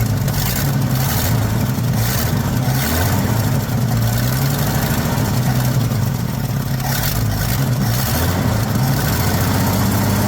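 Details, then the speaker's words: 1979 Ford F150 shortbed 4x4, 300 straight six with new carburetor, started after sitting 4 years: rough throaty idle with a raspy puffing edge on each firing pulse; owner says it clearly has an exhaust leak somewhere. "clearly has an exhaust Le [Applause] somewhere crusty buddy"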